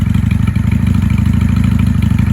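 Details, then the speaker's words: 1995 Honda Shadow 600 VLX VT600CD V-twin after fuel-leak repair: deep, steady loping idle with an even pulsing beat, no knocks or misses; normal idle. "But listen to her purr. She sounds amazing."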